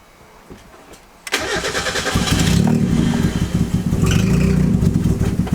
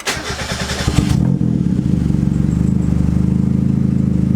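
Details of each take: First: Turbo Miata with the MAP sensor vacuum line left disconnected: cranks briefly, catches, then idles lumpy and uneven with a wandering beat; rough running, which sounded better once the line was reconnected. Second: Turbo Mazda Miata after reconnecting the MAP sensor vacuum line; cranks, fires and settles to a fairly steady idle, slightly lumpy while the ECU auto-tunes at idle. Idle later fixed by adding fuel in the VE table. Normal idle.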